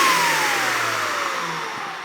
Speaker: motor sounds good what you're listening for when you turn the motor on foreign as it winds down you don't want to hear any um that would be a bearing noise this one sounds good and tight